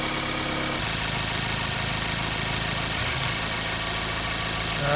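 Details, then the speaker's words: 2014 Mazda 3 2.0L with P0302 cylinder 2 misfire, warm after about 8 to 9 minutes running: idle stumbles with a periodic dip; cold there was no miss. "right, we're really starting to hear that miss. Vehicle's been running about 8, might be coming up on 9 minutes now."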